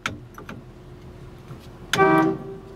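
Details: 1960 Chevrolet Impala, sat for decades, first key-switch test with a healthy crank: a couple of faint clicks, then a clear steady horn blast of about a third of a second. The horn works.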